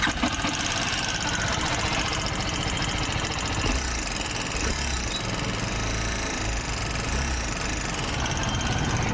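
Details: TVS Apache RR310 motorcycle: fast, even metallic ticking rattles over the idle from the top of the engine; a weak timing chain tensioner let the chain go slack and wear out the camshaft.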